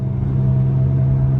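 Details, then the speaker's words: Car with 96,000 miles, accelerating: steady low droning rumble like loud tire noise, growing louder with speed; worn front wheel bearing, with both front hubs to be replaced. "the noise gets a little bit louder it sounds like tire noise but this is actually a real bearing noise"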